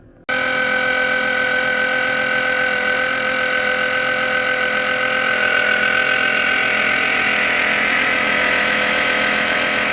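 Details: 2012 Fiat 500 idling with a constant, even high whine; persisted after belt replacement, intermittent and worst when wet or damp, unchanged by HVAC, lights, radio or steering; battery light recently came on, owner suspects alternator.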